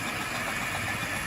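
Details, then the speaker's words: Tri-ang Hornby R.259NS Britannia model loco on its original motor, described as tight but noisy: steady buzzing whirr with a thin high whine on top, cause unclear; owner plans to swap in a 5-pole motor. "Now, there's nothing wrong with this motor, it's very tight, it just seems to be a little bit noisy."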